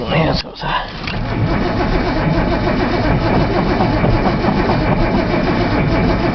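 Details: Nissan Z long crank no-start using brake cleaner as starting fluid: brief start-up bursts, then steady uneven churning with loose irregular pulses, never catching; owner suspects unplugged cold start valve, not confirmed.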